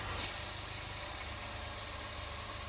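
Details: Honda City, clutch pedal pressed: steady high-pitched squeal from a dry, ungreased, failed clutch release bearing, with white smoke and burning smell at gearbox; clutch set to be replaced.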